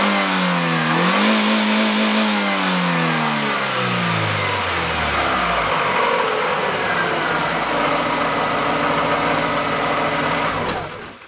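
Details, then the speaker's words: Chevrolet Aveo, mic under the hood, before catalytic converter was replaced with spacer: steady petrol engine note rises smoothly with each throttle blip then settles to idle; normal revving. "Ну вот звук до замены катализатора на проставку под капотом"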